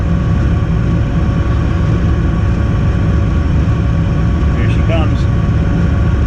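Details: Weil-McLain boiler in a rental with a no-heat complaint, fired back up after repair: even steady low roar with no surging, banging or flame-out; burner lit and firing normally, heat restored.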